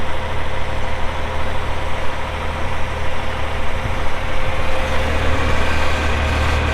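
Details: 1984 John Deere 4050 tractor with a JD 466 diesel, 3,342 hours, gives a deep, steady idle with an even low rumble and no knocks or rattles. Normal idle.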